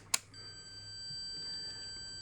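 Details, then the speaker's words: Multimeter still beeping continuity at 150 ohms on decade box: after a probe click, steady high beep holds unbroken; threshold about 160 ohms, so a 150-ohm fuse would pass the beep test. "And we're still beeping at 150 ohms. Oh, if it beeps, it's good."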